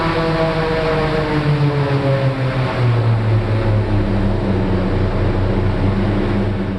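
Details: Raptor prototype aircraft engine and belt redrive prop, after fixing redrive belt problem and tune-up, static full-power thrust run: loud deep steady roar, even prop drone, slight pitch settle under load; smooth, strong run.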